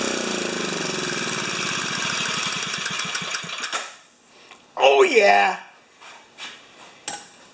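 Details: 4HP horizontal Briggs & Stratton single-cylinder, muffler screwed back in at 45 degrees on broken studs for testing: it fires in a steady even beat for a few seconds, then shuts down. Sounds healthy, normal running.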